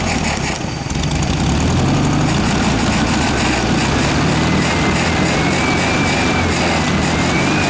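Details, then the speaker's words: 1967 VW air-cooled flat-four (ragtop), long-stored, on old stale fuel with fan housing off; busy steady running with even beat, some background noise. Sounds healthy. "good thing I put the fan on took the fan housing off huh you can get much more in there yeah motor runs good now"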